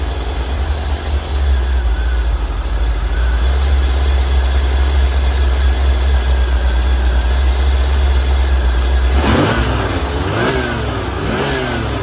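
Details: 1985 C4 Corvette V8 just revived after a no-start problem, timing not yet set: a deep, steady rumble with clean, quick throttle blips that rise and fall smoothly. It revs normally, though the owner noted slight idle hunting and may raise the idle.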